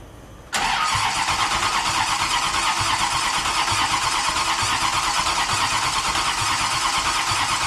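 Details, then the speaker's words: Turbo LS-swapped Fiero at first start in about a year, tune off because of different injectors: catches at once, then an uneven, hunting idle; owner suspects a vacuum leak, not confirmed; rough idle. "I'm sure the tune's way off cuz the injectors are different than what I had in here last time but we're close I might have to just let it idle we got a vacuum leak or something somewhere"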